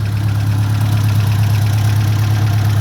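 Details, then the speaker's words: Ford Mk1 Escort panel van, decades off the road and unrebuilt engine, idling at start-up after a PCV valve replacement: steady, even low rumble, hardly any blow-by compared with before, a normal idle. "there's actually hardly any blow-by. Nowhere near as bad as it was when I first got it started."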